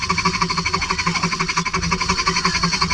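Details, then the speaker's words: Ceiling fan before repair: loud, rough whirring pulsing about four times a second over a steady hum; bearing noise, fixed later without replacing the bearing. "यह ग्रह बाद किसका राज है कि वह जोर-जोर से हराया था बहुत ही सिस्टम होता है"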